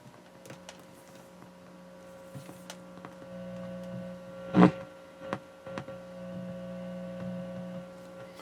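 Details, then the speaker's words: Dual 506 turntable phono cable with a broken, high-resistance connection, testing a replacement cable through a small amp's phono input: steady low hum with handling clicks and thumps; mains hum pickup. "And I've been just going through and testing different cables to see how they reject hum. And this one's not bad."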